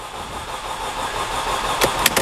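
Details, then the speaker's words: 2005 Mercedes CLK with M271 engine, low coolant message shown: even cranking with a few sharp pops near the end that never catches; confirmed crank-no-start despite many parts already replaced. "well i guess that's customer complaint confirmed this car is a crank no start"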